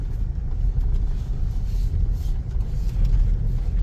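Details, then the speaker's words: Second-hand Toyota Innova, final check before release, driving over a rough road listening underneath: low steady road rumble, no knocks or clunks; suspension solid, bushings still tight. "Ganda. Oh. Ibig sabihin, ang ganda pa ng pangilalim nito. Mga may higpit pa, hindi pa loose yung mga bushing."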